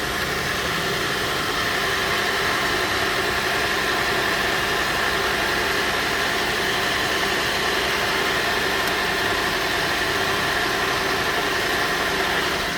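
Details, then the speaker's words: 2005 Buick LaCrosse with a faulty ABS module (EBCM) causing no-start, module plugged back in while running: even, steady idle with constant hum, no stumble, knock or surge over thirteen seconds; brakes not working. Normal idle. "all right so I plugged it in while it was running still wants to run though so that's that's a good thing"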